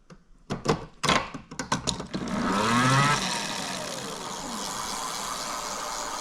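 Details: Bafang BBSHD e-bike mid-drive, rear wheel lifted, after removing excess moly grease from the nylon gear roller clutch that was slipping: a few clicks, then smooth steady whir without grinding; running healthy.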